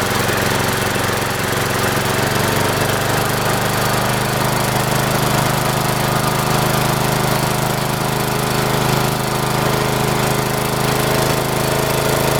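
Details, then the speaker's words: Mower, sat unused over a year, first start: steady low, lazy drone with even pulse and no rise; RPMs not up very high, owner thinks too slow to spin the blade fast enough to cut cleanly. "Will she fire? Let's see. Doesn't sound like the RPMs are up very high."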